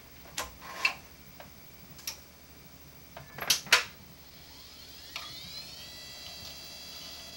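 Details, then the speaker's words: Old Western Digital hard drive from a retro PC collection spinning up: quiet irregular head-seek ticks, then a rising whine as platters reach speed; normal, characteristic sound of a healthy drive. "Un bruit très reconnaissable. Franchement, moi je le sais tout de suite, dès que quelqu'un utilise un Western Digital de cette époque, ça se reconnaît entre toutes les marques."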